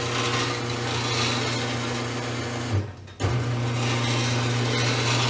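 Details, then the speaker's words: Craftsman (Sears) 1/2 hp chain-drive garage door opener, believed made around 1996, about 22 years old and poorly maintained: loud rattling, grinding drone from motor and chain with a brief pause mid-run; metal moving parts worn, opener due for replacement. "very very very very noisy all the movement parts metal steel and as a result the freaking just word the opener and I think it's about time"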